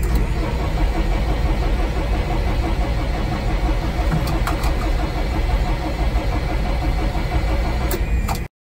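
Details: Manitou M50-4 diesel forklift that died in the yard with a nearly full tank: steady starter churn for about eight seconds, never catches; no fuel at filter bleed screw or inlet line, shutoff solenoid has 12 V; crank no start.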